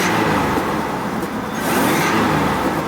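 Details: 1976 Cadillac Seville 5.7 L V8 after tightening a slightly loose belt: engine pulls up cleanly with an even, steady note, no belt squeal or chirp; runs normally.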